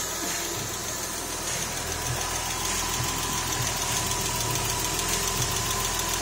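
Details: Porsche 996 3.4-litre with automatic gearbox, first start just after the engine was refitted following major work, running up to get hot: steady even idle with light regular ticking and airy hiss, no knocks or misses; oil pressure present, no engine light.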